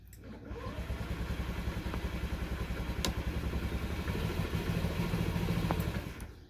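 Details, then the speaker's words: 2014 Honda Ruckus 49/50cc scooter left outside uncovered in the rain: the starter turns the engine over at an even pace for about six seconds but it never catches. Cranks, no start; the cause is not confirmed. "It's not starting. So I'm gonna turn it off so I don't waste the battery, and I'm gonna use this little trick."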